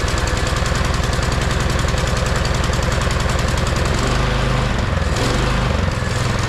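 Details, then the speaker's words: MTD Yard Machine 22-inch snowblower, 179cc about 5 hp electric-start engine, neglected: loud single thumping that starts hunting and swelling; runs only on choke and surges. "The problem was it would only run on choke and it was surging."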